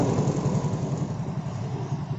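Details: Yamaha Mio J scooter after repair of a stalling fault, MIL had blinked twice fast: small single ticks over at a steady, even low putter without stumbling or dying out; healthy normal idle after repair.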